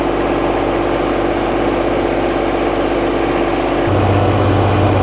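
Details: John Deere 2210 sub-compact diesel tractor, 651 hours, after oil and air filter change, run about a minute before checking hydraulic fluid: steady, even diesel clatter at idle with smooth low rumble, no knocks or misses.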